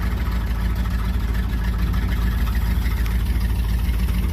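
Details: Old truck with air brakes and non-working power steering: big engine ticking over with a low, steady, even beat of about two pulses a second and no knocks; idling fine.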